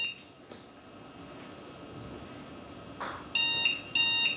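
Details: Old desktop computer at power-on: two long high-pitched beeps in a row with no other sound, a RAM error beep code; fixed by powering off and reseating loose RAM sticks.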